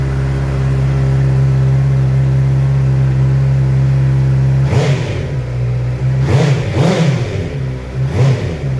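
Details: Heavy motorcycle with its exhaust just repaired, polished, painted and refitted: steady even idle with deep exhaust note, then several crisp throttle blips rising and falling cleanly; normal idle and revving.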